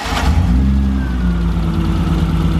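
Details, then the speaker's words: BMW E30 with an M20 six-cylinder, running again after three months waiting on parts and about four months off the road: a smooth, even note climbs cleanly with the revs and settles back, with no knocks or ticks; it sounds healthy. "sounds way better yeah say anything sounds good what the heck yeah I know it sounds right"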